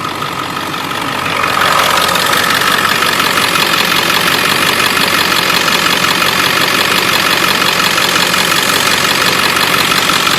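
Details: 7.3 Powerstroke diesel at idle: a rapid, steady tick, roughly three per second, from an up-pipe exhaust leak.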